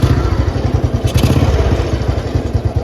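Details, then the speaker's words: 2008 Royal Enfield Bullet Standard 350 navy-disposal single cylinder, idling after tappet adjustment during restoration: steady even low thump with no ticking. The earlier tappet noise is completely gone and no noise comes from inside the engine. "और टैपटि शोर पूरी तरह से गायब हो गया है। Engine अंदर कोई नहीं है कोई आवाज़ नहीं, कोई आवाज़ नहीं कोई आवाज नहीं आ रही है"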